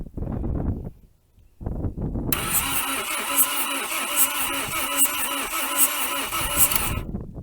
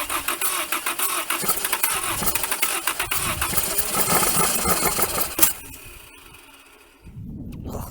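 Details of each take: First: 1980 Dodge Colt Challenger (Mitsubishi-built), four-cylinder automatic, rear-wheel drive, sitting 20 years since 2001, cranked by jumping the starter terminal with no plug wires: wind, then even compression pulses; healthy cranking with compression. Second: 1980 Dodge Colt Challenger (Mitsubishi Galant), four-cylinder automatic, sitting 20 years: fast cranking at about four beats a second with fuel poured into the carb, a brief stumble as if catching, then dies; no start.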